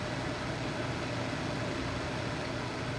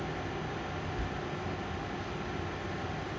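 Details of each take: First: Replacement True Induction cooktop at full power, water reaching a rolling boil in about 5 minutes: constant cooling-fan rush with a faint steady hum, no buzzing or rattle; running normally. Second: Amazon induction cooktop heating a pot of water, power turned up to maximum setting 10: steady loud buzzing roar with no clear beat, getting worse as power increases; excessive noise.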